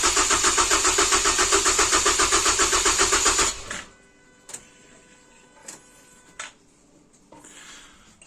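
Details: First start attempt after base timing and swapping the crank sensor pins, with a scope connected; the starter cranks evenly at about four beats a second for three seconds with no firing, then stops; it cranks but won't start, cause not confirmed.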